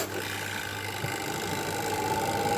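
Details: Washing machine spin motor after replacing a weakened capacitor; the spin-dryer timer is switched on and the spin is now stronger. Even motor whir, with a faint tone climbing as the drum gains speed; it runs smooth and strong.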